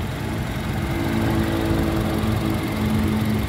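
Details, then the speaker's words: 2012 Toyota Kijang Innova G Luxury, 2.0L (2000cc) 1TR petrol engine idling: quiet, smooth, even soft hum like a sewing machine, no knocks or misses, no oil seepage on the engine; healthy normal idle. "Nah untuk mesinnya bensin 2000cc teman-teman kode mesinnya 1tr suaranya nyaris tak terdengar ini masih alus banget teman-teman kayak suara Cuman suara mesin-mesin jahit ya"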